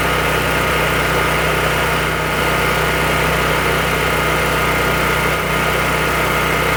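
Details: Firman H07553 9400 W dual-fuel generator, brand new on its first start on gasoline after an oil fill, electric start needing 8 to 10 seconds of cranking to prime: steady constant hum with a few even tones and no surging, misses or rattles; running normally.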